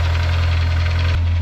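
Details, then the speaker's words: 2005 Honda S2000, crash-damaged, EPS light on, idling with a light fast metallic rattle; owner suspects chain rattle or loose/stuck tappet, top end, bottom end and conrod bearings checked, cause unknown, possibly knocking. "Not good. Sounds like chain rattle. Sound like a loose tappet or a stuck tappet."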